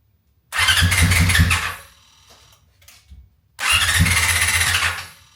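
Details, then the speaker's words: 1999 Yamaha R6, carbureted, off the road for years, jump pack and external fuel tank, after fuel pump priming: two bursts of brisk cranking, never fires; no fuel coming through. "you he it's going but there's just no fuel coming through that so I'm not shocked"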